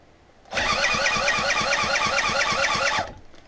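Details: Citta moped under restoration, first engine test: spark and compression present, fuel suspected; starter churns with steady compression pulses about three per second for two and a half seconds, never catches; cranks but won't start.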